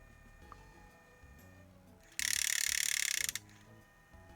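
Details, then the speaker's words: Sony WM-EX560 cassette Walkman: faint ticking mechanism, then a harsh fluttering scrape as the loose drive belt slips with no traction on the capstan; spools clean, belt replacement needed. "so there it is there's no traction on the Belt whatsoever all the spools are clean"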